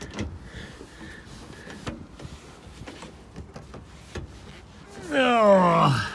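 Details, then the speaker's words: 1955 Chevy Bel Air, engine thought to be a 350: on starting, a short sliding belt squeal swoops and fades within a second as the engine catches. "there little belt squeal there it goes all right"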